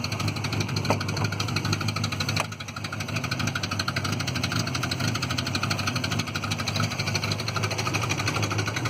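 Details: Citroen Visa 11 RE, just bought with an exhaust leak: fast, even puffing tick riding over the idle and a short rev, sharp and raspy, from exhaust escaping at the leak.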